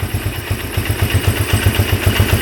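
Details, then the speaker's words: 1997 Polaris Magnum 425 6x6 ATV idling evenly in a steady low thump with no pops or misses; earlier popping stopped, and owner guesses an unprimed fuel pump had starved the carb, running lean. Normal idle. "but it sounds pretty good now not a single pop out of there so it cured itself"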